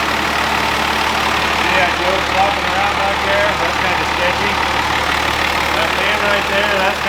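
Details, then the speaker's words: Old 12-valve Cummins diesel running on the shop floor after a jumper-wire start: loud, steady clatter with even beat, no misses or stumbles; idles strong and healthy. "it really didn't take long it was crazy how that thing fired so good that's why they are like the small block of the diesel world"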